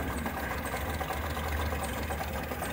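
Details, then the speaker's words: Nissan Platina that stalls, valve already replaced, check-engine light on: uneven, lumpy idle with wavering beat and no steady rhythm, engine shaking; rough unstable idle close to stalling. "Eh, le echamos andar y efectivamente se apaga, pero la marcha es muy inestable, es mucho muy errática."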